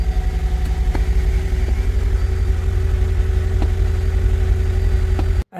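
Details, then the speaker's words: 2003 Mercedes CLK 500 W209, M113 V8, long-crank hard-start issue, testing fuel pressure: engine runs with uneven surging pulse then drops out abruptly; inconsistent running; pressure drops when pump stops, fuel pump suspected. "yes it's running now but it's very inconsistent it sometimes runs and it sometimes it doesn't"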